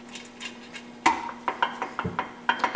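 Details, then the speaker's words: Cub Cadet transmission with aftermarket 2-3 cluster gear being shimmed, side bolts finger-tight; sharp metallic clinks as loose gears rattle from remaining backlash before snugging to zero. "There's some looseness in there yet. You can hear it rattling. We're just trying to start snugging this up until the backlash disappears."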